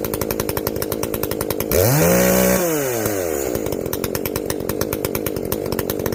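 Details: Echo CS-590 chainsaw after carb limiter removal and opened-up exhaust, high jet turned up a full turn plus low jet richened: crisp steady buzz blipping up and dropping back cleanly, revving freely without bogging; well tuned, not running hot.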